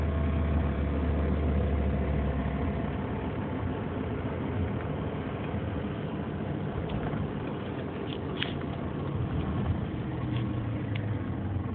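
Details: 2003 Nissan Murano idling with a low, uneven rumble and faint sharp ticks over the top; cause unclear; abnormal engine noise.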